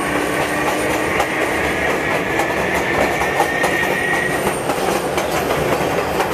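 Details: MTA R142A car 7686 on a Manhattan-bound 4 train, 183rd Street next: steady high whistling howl over wheel clatter, slowly falling in pitch as the car slows; howling traction motor, later fixed.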